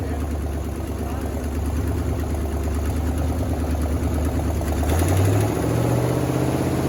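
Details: 1979 Chevy C30 V8 first run after eight years sitting: deep, uneven loping idle about three beats per second; owner notes exhaust leaks and power steering not working.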